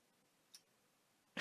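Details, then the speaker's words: PS4 thrown across a room, power-on test: faint click at switch-on, then a clunk and silence, fan never spins; shuts straight off, southbridge failure suspected. "the click it's gone off and at no point there did the father spin at all so I am definitely suspecting Southbridge here"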